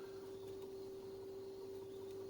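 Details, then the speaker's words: 1970 Dynacord Echocord Mini tape echo (motor dated 1966), after electrical repair of ground-loop noise, loudspeaker near camera: small tape motor gives a single steady mid-pitched hum, no wobble or rattle; running normally. "Put the loudspeaker a little bit closer to the camera here, so you can still hear the little motor and system like that."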